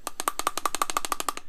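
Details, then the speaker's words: Cold start valve from a BMW M52/M54 engine shaken by hand: quick, even clicking rattle, about eleven a second, meaning it moves freely; no rattle would mean stuck, causing rough cold-start idle. "that rattle if you cannot hear that rattle inside there it is stuck"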